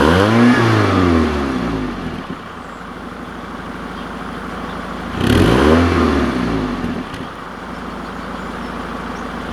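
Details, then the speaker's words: Diesel vehicle in damp cold, about 3°C: blips up and settles to a steady, even idle around 1500 rpm, smooth clatter with no knocks or misses; normal idle as always for this car. "mais voilà un parfait voile ralenti à quoi 1500 tours je crois que j'ai toujours connu comme ça cette voiture ralentit comme ça"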